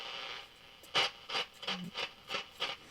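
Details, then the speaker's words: Hallicrafters S118 shortwave receiver on initial revival: irregular scratchy hiss bursts, about three a second, come and go as the dial turns; dirty tuning capacitor needing cleaning. "That's dirty tuning cap. We need to clean that."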